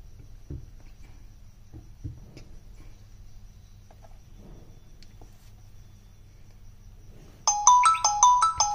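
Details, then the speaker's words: Redmi 8 phone whose ringer crackled and cut out, after repair by soldering wires to bypass resistance in the main flex. Quiet room, then a loud, clear marimba ringtone with crisp notes and no rattle or crackle; the loudspeaker now works properly. "जैसा कि आप देख सकते हैं हमारा sound किस प्रकार से एकदम बेहतरीन काम कर रहा है ठीक है"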